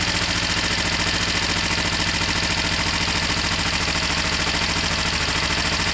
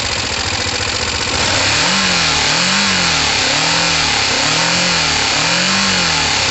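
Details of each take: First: Kawasaki ER-5 motorcycle, first start on choke after fixing rising oil level: even, steady idle pulses at about three a second with no misses, knocks or rattles, and no smoke. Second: Kawasaki ER5 twin, not yet warm: several rising and falling revs then a ragged idle with occasional spit-back through the carburettors; owner thinks the fuel pump wasn't delivering enough fuel.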